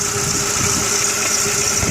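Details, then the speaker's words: 2000 or 2001 VW Jetta 2.0L petrol, neglected with about 10 codes, idling cold: rough, uneven low thump under a hiss, engine shaking, misfire. Arcing was seen at one terminal, and a faulty coil pack is suspected. "engine is shaking quite a bit. So I want to know where the problem is and why it is having a misfire."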